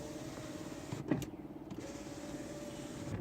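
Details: 1992 Mercedes 300D Turbo W124: steady mid-pitched window motor hum with soft thunk at the stop, even speed; window motor working normally; the faulty window would go down but not up, traced to the interchangeable console switch, not the motor.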